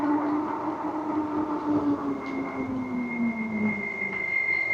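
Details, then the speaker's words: Sisigad Courier Cargo e-bike riding downhill into a hairpin turn: steady high squeal sliding slowly down in pitch over rolling noise while braking, from squeaking rear brakes. "Whoa, hairpin turn right here. Hear them back brakes squeaking?"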